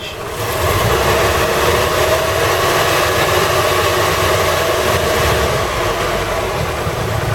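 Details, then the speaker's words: 1988 Toyota Hiace driving after fitting new viscous fan coupling and new belts: steady, loud whooshing fan roar drowns out the engine; fan locked in nicely, coupling made a big difference; normal engaged viscous fan. "Well, as you can hear when I drive this, the fan's locked in nicely. So I've been giving it some help. All you can hear is fanage."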